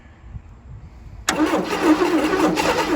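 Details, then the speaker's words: Abandoned 1977 Chevy Camaro on booster: cranking, then the engine suddenly catches and roars unevenly for a second. Clogged carburetor believed to need removal, cleaning or rebuild. "All right, guys, I really think the carburetor needs to come off, be Yeah. cleaned out."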